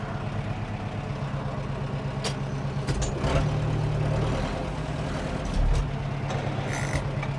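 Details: 1997 Zetor 4340 cab 4x4 tractor, about 59-60 hp, 1447 hours, unserviced as traded in, with a few minor leaks: 540 PTO running, steady low diesel rumble at even speed, no knocks or misses; runs healthy.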